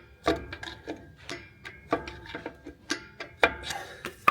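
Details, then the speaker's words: Truck drum brake, screwdriver through the backing-plate slot turning the star-wheel adjuster gear: sharp separate ratchet clicks, two or three a second, one per notch, set to slight drag; adjuster turns freely, normal. "You give it one more click and then Oh, yeah. Now I can feel it."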